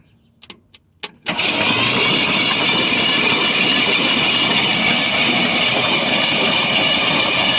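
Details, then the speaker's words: 1973 Ford F-250 sitting 18 years, oil added, plugs out, starter hit with a screwdriver: after clicks the engine spins quickly and evenly with a steady whir, turning over freely and not locked. "well that's spinning over pretty good and i just made a mess"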